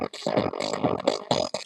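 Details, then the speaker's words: Old Phoenix Gold ZX475TI car amplifier on the bench, one channel: harsh, fuzzy, clipped audio bursts with a gritty edge on every note while the other side works; that channel's output is saturated, fault still being traced. "donc on entend bien que c'est saturé que le son est saturé de ce côté on entend bien que le son est saturé de ce côté dé la caméra"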